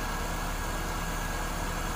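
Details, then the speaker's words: 2001 Saturn SC2 restarted after clutch slave cylinder pin repair: smooth, steady idle with an even low rumble and no knocks or misses; normal idle. "turn it off but start it back up again look at that it started right up that time that's nice"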